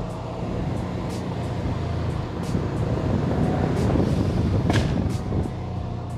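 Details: 2008 Subaru Legacy GT with Cobb downpipe, SPT catback and GFB Respons blow-off valve, heard from inside: lifting off the throttle at about 3,500 rpm gives scattered sharp, loud pops and crackles over a low drone, typical overrun exhaust popping.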